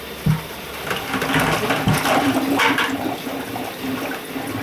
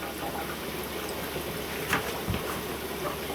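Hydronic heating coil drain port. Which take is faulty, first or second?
first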